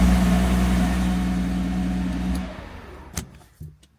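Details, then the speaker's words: Mercedes SL320 six-cylinder that had not run for 3 years, with wires broken after earlier work: rough, lumpy idle with pops that dies after a couple of seconds. It is not running on all cylinders. "it does not run on all cylinders which is a huge problem"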